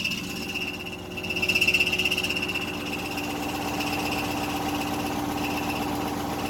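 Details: GM engine revived after seizing from oil loss at the oil cooler quick-connect, smoky, started briefly to warm it: a high, steady screech rides over a fast, uneven clatter. The owner suspects a stuck piston ring, which is unconfirmed.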